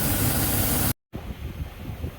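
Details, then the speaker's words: GM 6.0 Chevy Silverado idling under the hood: steady idle with a hiss of air behind it, a vacuum leak at the leaking PCV elbow (fixed-orifice valve cover system). "I do hear what sounds like a vacuum leak, but I could be wrong. The only thing it's got is the... Oh, the PCV is leaking, you hear it?"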